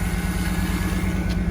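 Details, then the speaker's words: Car that stalled when shifted into reverse, after new fuel filter, injectors, idle air control valve and fuel pump regulator; check engine light on, first start in a while: even, low pulsing idle, no stumble, warming up before going into gear. "so since is the first time she started up in a while I'm gonna let her idle and get warmed up"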